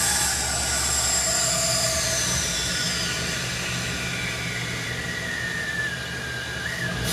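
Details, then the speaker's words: 1960 Chevy Biscayne with LS swap, run briefly without a belt after vacuum-filling coolant: steady idle rumble under a thin high whistle and airy hiss from air through the big throttle body and idle air control motor; normal. "now high pitch whistling is just the big throttle body the idle air control motor kind of the air hissing through there"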